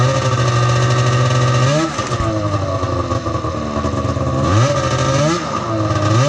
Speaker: Working on the seat and tank setup, but she freaking runs. Oh, it sounds good too.